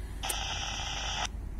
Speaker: so you can hear that very well I'm spraying atop the 1/7 it run over but somewhere around the storefront hair I'm not right on it they're a distinct how you turn the radio up a bit maybe don't need to yeah so don't know what's causing that any ideas